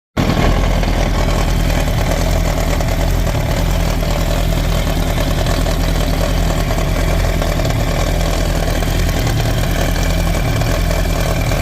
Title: 2007 yamaha r1 rattling/grinding sound, help!!! #yamaha #yamahar1 #motorcycle